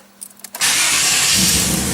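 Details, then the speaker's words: 4th-gen Firebird Trans Am LT1 V8 just after a bad gear-reduction starter was replaced with a new one: a few quick, crisp cranking turns, then it catches within half a second and runs strong and even; the new starter sounds healthy. "awesome beautiful that starter sounds awesome actually all right let's check it out again i like that sound"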